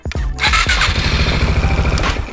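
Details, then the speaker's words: Yamaha XMAX bored up to 300cc, fitted with an aftermarket RPD PowerPro starter motor replacing the stock one: two quick, light starter spins, then the engine catches and runs steadily; cranking sounds lighter and unlaboured than stock; normal starter cranking. "Terdengar bahwa putaran dinamonya ini lebih ringan dibandingkan bawaan."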